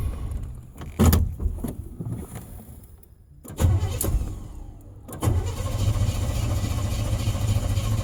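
Engine catches, fades and nearly dies twice, revived with throttle bursts, then holds a rough idle; fuel pump starving it.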